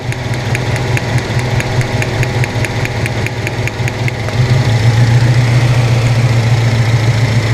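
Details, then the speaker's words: 1997 Honda Civic EX, D16Y8 VTEC engine, previously running on three cylinders with a cylinder 2 misfire: sharp tick about twice a second over an uneven idle as spark arcs at a damaged plug wire boot, still misfiring. "yeah it's still running like [ __ ] cuz now that boot's all [ __ ] up [Music] but it's a lot easier to get off now yeah see it's all [ __ ] up you still see the spark and it's not a loud clicking sound like that"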